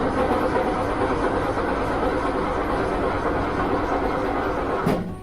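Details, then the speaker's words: Austin Healey on its old starter, ignition coil removed so it won't fire, engine warm but not heat-soaked: a steady, brisk, even churning. Normal cranking before the swap to a high torque starter for hot-start problems. "So you can hear it doesn't do a bad job when it's cold."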